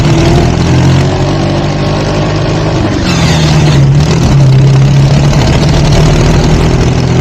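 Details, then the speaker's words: Sears dragster with Duromax 440cc single-cylinder engine in third gear: loud drone holds flat at high revs and stops climbing, topping out near 5,800 rpm instead of its known 6,200; fighting the rear tires. "Okay, right about here is when you can hear the engine has just plain topped out. But here's the problem. It's not topping out where it should be topping out."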